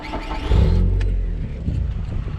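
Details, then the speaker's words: Toyota 5S-FE 2.2 litre engine with a newly built 2.5-inch exhaust and a couple of mufflers, replacing one that had a hole. Fires, blips with a deep throaty rasp and settles to a steady low idle, no exhaust leak; healthy exhaust note. "So it gives a little bit more of a note. It is a 5S FE engine, which is a 2.2 litre."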